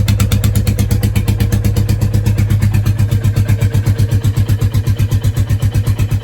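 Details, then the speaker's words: Royal Enfield Classic 350 Warhorse single started stone cold and idling with a slow, steady thump and no missed beats, after the throttle/idle adjustment raised the revs; it previously idled too low and wouldn't idle when cold; now a normal cold idle. "So, I'll just fill up here and let it idle. Let you hear it. It started tonight stone cold fine."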